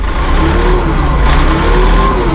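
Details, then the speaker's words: Massey Ferguson 1700 series tractor, electronic hydrostat, in neutral; pressing the pedals makes auto throttle raise the diesel smoothly from idle to a higher steady speed toward PTO speed, no hesitation; normal auto throttle. "can hear that autothrottle working for you it's electronic by the Hydra status"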